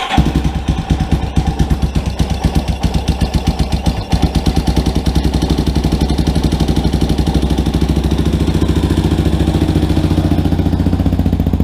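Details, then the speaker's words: Rebuilt Yamaha Warrior quad, not yet broken in, running after its first start with a few light revs: the single cylinder thumps evenly and picks up cleanly, with no ticking or knocking. Normal running. "sounds good i'll uh i'm gonna do a quick little time lapse for you guys while it's running and do a little bit a little bit of rev not too much i don't want to hurt it it hasn't broken in yet"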